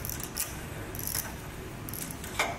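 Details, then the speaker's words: 1961 David Bradley tractor, hard to start: small-engine starter clutch turned by hand gives uneven ratcheting clicks and a growl, hanging up instead of spinning freely; may be cleaned with carb spray. Starter clutch sticking. "but I can tell this is kind of hanging up you can hear it making that growling so I may clean that up a little bit"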